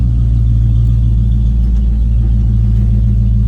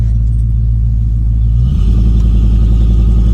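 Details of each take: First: 1989 Ford F-250 big-block V8 at idle with no catalytic converters, a 3-inch exhaust and a near-straight muffler ending behind the passenger cab: deep, heavy, loud droning rumble; owner feels idle is high but suspects it's just the loud exhaust. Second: 1989 Ford F-250 big-block V8 with 180° thermostat, restarted hot after a 10-minute drive, following an ignition control module relocation to the fender to cure hot no-start: a deep rumble turns into a loose V8 pulse as it fires and keeps running.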